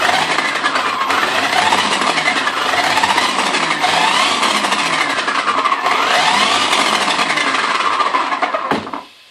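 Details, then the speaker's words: HPI Baja 5B Flux electric RC car: whining drive with rapid uneven clicking, about three per second, heard when rolling forward, not in reverse, louder on the street; cause unknown. "I only think you hear it when drive to the front you don't hear it as good if you if you're driving on the street you're hear it more"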